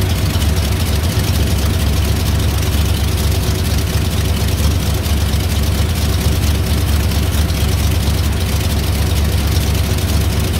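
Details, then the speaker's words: 1987 Ram D50 with Ford 302 V8, new MSD ignition, new carb and valve cover gaskets: a deep lumpy V8 rumble with a faint puffing tick about twice a second. It is an exhaust leak at a V-band clamp that can't be tightened further, and the exhaust will be redone from the headers down. "you can still hear it's got a pretty good exhaust leak right there one of the v-bands and i can't get it any tighter i'm worried i'm gonna break it"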